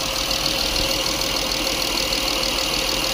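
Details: 2005 Honda Accord 3.5 V6 with P0455/P0497 after purge valve replacement: steady idle with airy hiss, and the new purge valve gives no click when commanded to 20–30%, clicking only once pushed on.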